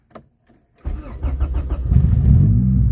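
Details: H22-swapped EK Honda Civic whose starter clicked when hot, after a defective engine harness signal wire and battery terminal were replaced: brief steady cranking, fires within a second and climbs to a clean idle. Normal crank and start after repair.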